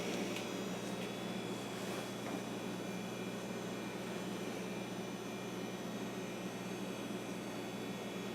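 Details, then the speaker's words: Old hard drive in a Compaq Deskpro 590 desktop PC at startup: a steady low hum with a faint whir and a few light clicks early on. This is normal for an old drive, not a fault. "Yeah, listen to that drive, man. That takes me back. I've heard many drives sound just like that, and it doesn't mean there's anything wrong with them. It just means that they're old."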